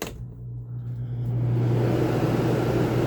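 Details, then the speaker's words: RV rooftop air conditioner after the two fan bolts that had fallen out of their rubber grommets were refitted: it spins up to a smooth, steady low hum with even airflow, and the rumbling and vibration are gone. "sounds beautiful so I would say that is fixed so this is hand from the best family Outdoor Show I just fixed that rumbling noise in my RV's AC"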